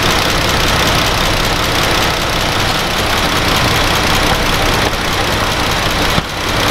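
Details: Dodge Grand Caravan 3.6 V6 idling while warming up during a coolant change and air bleed, cooling system open, before the thermostat opens: steady, even idle with a constant low hum and an airy hiss from the open cooling system; normal, smooth idle.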